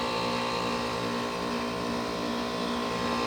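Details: 2001 Trane XE1000 5-ton heat pump at about 45°F, outdoor unit with frozen coil in defrost; steady even whir with mid-pitched hum, no knocks or rattles, normal defrost cycle producing steam.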